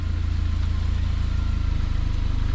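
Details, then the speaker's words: 200k-mile Saab 9-5 Aero after cracked center muffler was cut out and straight-piped, heard walking from front toward rear: deep steady rumble with even exhaust pulse; normal idle. "all right here we are from the front sounds great and as you walk towards the back"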